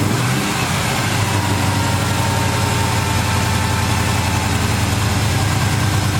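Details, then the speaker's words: V8 with a Holley carb, just restarted after swapping the power valve, following an earlier wrong valve that flooded the engine; a steady burble sits at about 1200–1300 rpm instead of the usual 900; high idle, cause unsure. "Seems like the idle is up a little high now. It's normally about 900, now it's about 12 or 1300,"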